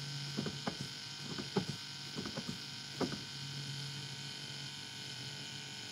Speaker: We turned the key on and pumped the brake a few times, and that pump kicked in, electric pump kicked in, and you can hear that low humming noise. That's what we want to hear.